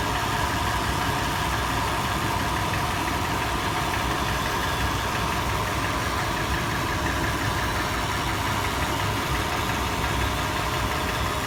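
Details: Toyota FJ warm-start idle: sharp metallic tapping over clatter, faster in park and neutral, slower under load in drive, louder and slower after warm-up, also on decel below 1800 rpm; cause undetermined.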